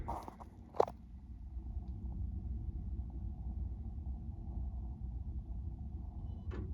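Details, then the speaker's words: Sony BDP-CX960 400-disc Blu-ray changer, disc not loading: low continuous rough rumble with sharp clicks on power-up; loading mechanism grinding, cause not yet known. "Smooth Jazz Christmas, but it makes a really bad sound when you turn it on."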